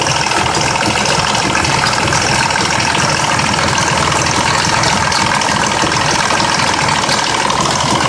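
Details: 2004 Mazda 6s 3.0L V6, 170k miles, new plugs and coils, pre-cats just replaced after being nearly fully clogged: lumpy idle with busy ticking and metallic rattle; owner suspects the bank 2 VVT solenoid needing replacement, unconfirmed.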